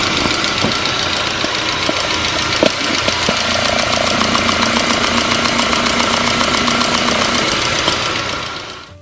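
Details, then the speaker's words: Hard-start fuel pressure check, listening to each of four fuel injectors at idle: crisp, even clicks a bit under four per second, consistent across all four; normal injector ticking. "all four of these injectors are in good shape but let's go ahead and listen to all four so you can hear the consistency"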